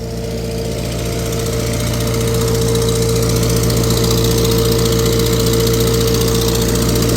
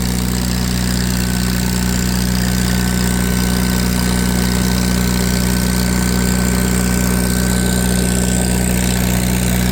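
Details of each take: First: Tractor on PTO dyno under load, exhaust manifold cracked and previously JB-welded: fast regular ticking puff about four per second over the running note; exhaust manifold crack leak. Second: Farmall 350 row-crop tractor on PTO dyno, warmed up, pulling 35 hp at PTO (rated about 36): steady even low drone with a firm deep hum, no knocks or misses; healthy under load.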